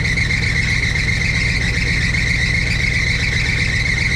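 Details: 1962 Chevrolet C10 V8 at idle, oil pressure 50, near 180 temperature; continuous high-pitched squeal over idle from slipping loose alternator belt needing tightening; belts later replaced.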